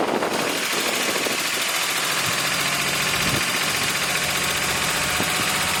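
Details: VW Golf Mk4 engine after rebuild, jump-started, intake manifold and valve cover previously removed, oil filter problem noted: engine catches and settles into a steady, fast, even idle with crisp ticking patter, no knocks or misses.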